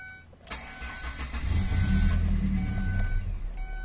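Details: 2.0 Ford Escape automatic (2004–2006) with check engine light and stalling in traffic, after a tightening repair: short crank, then it catches and settles into a steady, even idle with no stumble or stall.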